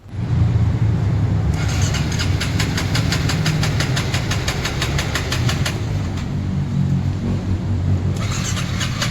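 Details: Honda Forza 350 scooter cranks in quick, even pulses about five a second but never catches; crank-no-start caused by a failed fuel pump, repaired afterward.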